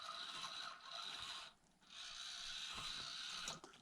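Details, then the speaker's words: Micro brushed crawler, first run on new MBR AS14/8RW Easy ESC at mid speed: light gear whirring rising and falling with throttle, no electronic whine from motor or ESC; clean quiet drive. "And do you hear anything? No. Wow. I am on mid speed."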